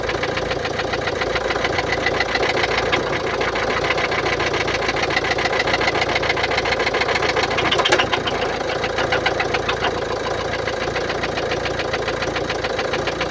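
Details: 2016 Mercedes-Benz Vito 639, 1.6 L diesel OM622.951, 84 kW, 237,870 km, idling: fast, steady light tick about three or four a second over the diesel clatter; top-end tick, defective hydraulic lifters suspected.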